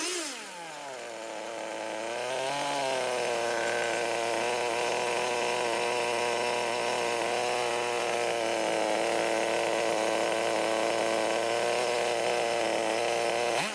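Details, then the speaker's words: 16-year-old HPI RS4 3 Evo nitro RC car, first run after carb reset to factory settings: small engine idling high and buzzy with a slight uneven wobble, smoky and oily, a little rough idle. "so it was quite smoky quite oily a little bit of rough idling probably jus"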